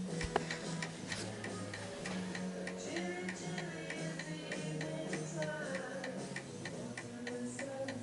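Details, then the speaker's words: Antique 1920 Napoleon hat mantel clock, pendulum calibrated left or right via the L-shaped back piece on a level surface; even, regular tick-tock with no skipped beats: clock in beat. "it won't work unless you actually calibrate this back bit left and right. So it's just this little L shape, and the pendulum has to be either pushed left or right depending on the surface."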